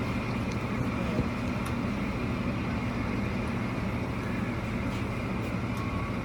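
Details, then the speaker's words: Unnamed car at speed after new spark plugs, timing set and an intake manifold leak fixed; a plugged oil line starving the overhead valves was also fixed earlier. Steady road and engine drone, no clear tick: normal, quiet valvetrain. "Overhead valves, you can't really hear them ticking along. Well, you can, but you have to really listen for it. And when the car is moving really fast, it's very quiet."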